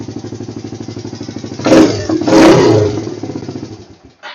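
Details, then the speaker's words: Kawasaki Lakota 300 ATV after cleaning its carburetor (it sat all summer) and fitting a SuperTrap exhaust: a steady single-cylinder idle and two clean throttle blips rising and falling evenly. Runs well. "yeah starts up sounds good here I can't beat"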